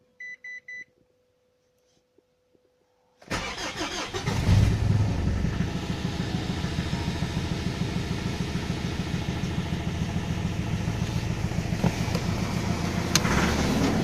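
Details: After a few beeps a Mitsubishi L200 diesel cold-starts at −7 °C in the garage, then idles with a steady rapid knock about three per second; happens every morning, fades when warm, lately also under load, stronger in higher gears. Cause unknown.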